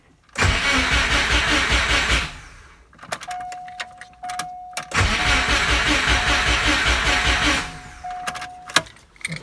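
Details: Subaru Impreza 2.5RS GC8 with swapped WRX EJ205 engine and merged wiring harness, first startup: two bursts of steady starter cranking, about two seconds each, never catches; crank no-start, fuel pump not priming because connector not fully plugged in.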